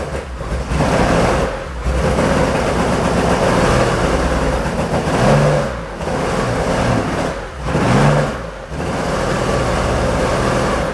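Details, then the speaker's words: Porsche 911 2.8 RSR build flat-six on Link ECU, smoking a lot: revs in uneven surges with a lumpy, stumbling exhaust beat; cylinders 1 and 5 not running, found with a temperature sensor underneath, so it ran on four of six cylinders. "Okay, we've got at least 2 cylinders out. We've got cylinder 1 and cylinder 5 are not running. So, all right, so that was running on 4 cylinders, not 6."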